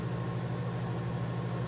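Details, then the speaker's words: Breville Smart Oven Air Fryer Pro, new, super convection mode, fan accelerating: steady low hum with soft even airflow rush and no rattle or scrape, though the owner finds the acceleration sound unusual; convection fan running smoothly. "But as you hear the fan accelerating, it just sounds weird. Nothing I've heard before."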